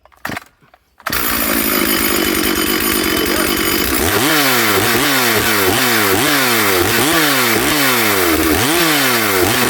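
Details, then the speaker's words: Stihl 440/460 hybrid chainsaw on its first tank of fuel since a rebuild, rings still bedding in. At full throttle it screams but breaks up into an uneven four-stroking warble. The carb is running quite rich and was left unadjusted for break-in. "So it is quite rich. It is 4-stroking on full throttle, but it's running in for this first tank of fuel."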